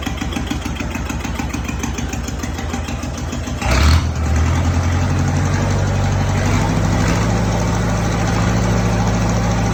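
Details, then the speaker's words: Belarus 525 4x4 tractor with loader, diesel, first start in years; starter cranks briefly, then it catches into a steady, even low idle clatter with no knocks or misses. Good oil pressure, staying cool; clutch not engaging. Normal diesel idle. "the biggest next step will be the clutch but it does run so that's a good start"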